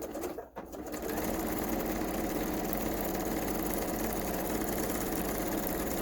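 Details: Kenmore 385-19550 sewing machine being tested after repair of wrong pattern stitches and speed control, speed adjustment screw kept centred: after a brief start, smooth, even, quick mechanical whir with no clatter or rubbing; runs cleanly.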